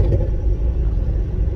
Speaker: Now what you're hearing is that exhaust leak. So I feel like the car will be substantially quieter once that's fixed and dialed in.